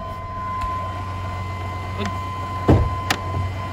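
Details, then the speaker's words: GM 4.3 liter V6 with 157,743 miles, cold start at end of season: even low idle rumble with steady buzzer chime on top and a few light clunks; runs smooth, runs very well. "Under here, we've got a 4.3 liter V6. Runs very well."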